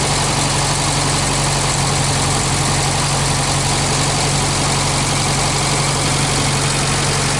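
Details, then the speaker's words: 1965 Australian-built small-window VW Beetle, air-cooled flat-four idling on an old 6-volt battery: loud, steady chatter at an even idle with no misses, knocks or wandering revs; engine very healthy with only a slight oil drip; normal idle. "Úgyhogy gyerekek, ilyen gyönyörű szépen jár a motor, nagyon egészséges, úgyhogy körülbelül most ennyi volt ez a bemutató."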